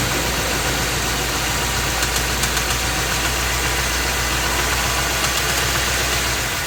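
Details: Ford F250 with 7.3L Godzilla gasoline V8, phone under the truck, idling, A/C off. Rough idle with a sharp, irregular ticking knock, about three or four per second; internal engine knock, dealer said drive it, engine being replaced.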